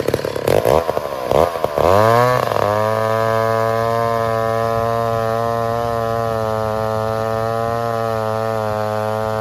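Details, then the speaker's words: 1966 McCulloch 250 two-stroke chainsaw, low-hour one-owner saw stored 25-30 years: a few quick pulls, fires and settles into a steady even buzzing idle without misses or surging; runs healthy. "but sauce sounded great worked well and I'm happy to have it in the shop"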